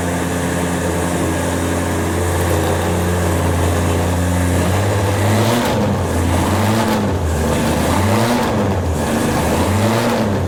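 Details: Ford Escort RS1600i, started on a jump pack after sitting, fuel pumps primed: a steady, even idle that swells and falls with a few throttle blips, picking up crisply each time; normal healthy idle.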